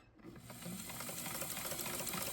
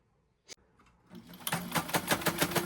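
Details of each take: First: White model 1563 sewing machine after oiling and cleaning out rust, dirt and aged oil with fine steel wool: quiet, even whirring with light rapid ticking and no knocking; runs smoothly and sounds healthy. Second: White model 1563 sewing machine, stored in a garage, before cleaning and oiling, needle in zigzag position: short run of sharp clacks about seven a second, knocking harder than normal; source unclear, owner suspects needs overhaul.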